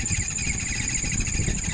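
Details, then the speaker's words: Maspion standing fan running with a harsh, loud rattling buzz and a thin high hiss over its hum from dry bushings; fixed by lubricating with baby telon oil. "Nah ini Suaranya berisik banget ini ya teman-teman ini suara nyaring cukup keras berisiknya"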